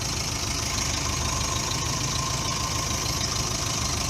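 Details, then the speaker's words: Subaru Brumby 1.8 litre boxer, cold, barely run recently: ragged, loping idle about three beats per second, hunting as if struggling to stay running; rough cold idle. "rough on the idle at the moment but cold obviously she's trying to stay alive"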